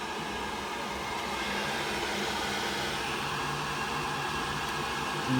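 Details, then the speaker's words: Worcester Ri boiler after a blue-flashing-light ignition fault, now lit after about 40 minutes adjusting the gas valve min and max settings: steady, even fan rush and smooth burner roar, no rattles or surging, before setting the ratios; running normally. "I eventually got some for ignition and now I've got it lit which means I can now do negative fan pressure and set up the ratios"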